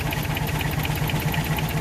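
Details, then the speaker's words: Toyota 22RE engine started after 3-4 weeks sitting, after swapping a weak battery for a good one; idle thumps with a regular stumble about eight times a second and the engine shakes like crazy. Definite misfire, with check engine codes 31 and 24 for the VAF. "Yeah, it's definitely got a miss in it."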